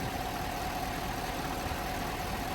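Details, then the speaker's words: Chevy Silverado V8, first start and idle after cylinder 5 misfire repair (worn cam, bent non-seating valves, new soaked lifters); smooth, even idle with faint steady hum, no misses or ticking, normal idle. "so this is its first fire up in idle"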